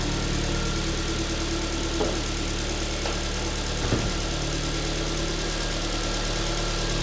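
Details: Alfa Romeo MiTo QV 1.4 TB, first start after timing belt, coolant and oil change, engine cover off: steady even idle with light injector tick, louder without the cover; no knocks or misses, running normally.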